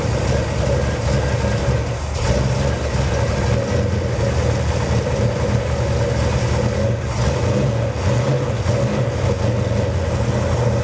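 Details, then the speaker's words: Cold 451 cubic inch big block Mopar in a 1978 Dodge D200 drag truck, first start on a new Edelbrock VRS 850 carburetor at out-of-box settings: deep, even V8 rumble idling a little slow with no misses; float levels appear high. "Idle's a little slow, but it's idling. And it's cold."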